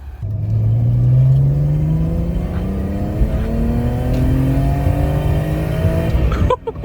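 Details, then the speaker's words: Supercharged BMW E46 330i at 247,000 miles, test drive after engine rebuild: clean, even rising note through the gears with the previous ticking gone (stuck lifter suspected); healthy engine revving. "test drive went Flawless and listen to that the ticking is gone"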